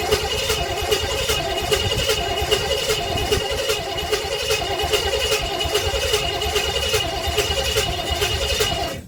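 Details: 1958 Chevrolet Bel Air 4-door hardtop, engine rebuilt at a vo-tech but never finished, first start attempt with 2-stroke gas in the carburetor: engine spins over evenly for nine seconds without a catch. Cranks fine but no fire.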